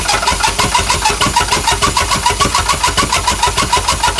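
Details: Chrysler Valiant CM, Hemi 265 six, after starter motor rebuild, starter wired via bypass switch. Steady rhythmic cranking about three turns a second, engine turning over evenly but never catching.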